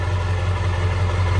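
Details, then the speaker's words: 2000 Ford Excursion XLT 4WD 7.3L Powerstroke diesel idling, heard from the exhaust at the rear: deep steady even rumble, no misses or knocks, no smoke or blow-by; healthy diesel idle. "All right, let me show you back underneath the hood so you can hear it running and idling. Come back here so you can hear the exhaust."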